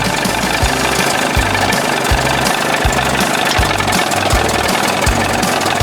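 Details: 1981 20 hp Evinrude two-stroke outboard in a test tank, warm after powerhead flush and new thermostat and gasket that fixed cold running: rattly idle with a slight uneven lope but no knocking; best it has run so far, still needs tweaking.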